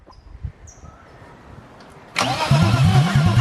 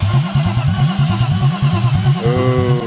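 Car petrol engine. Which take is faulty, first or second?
first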